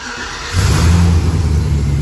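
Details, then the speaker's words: LS-swapped Chevy K10 on a cold start the next day after its first run: fuel pump primes for about five seconds, then it cranks briefly and fires into a strong, deep rumble, still a little rough cold. Normal cold start. "and it fires up runs pretty good still uh still a little rough when it's cold"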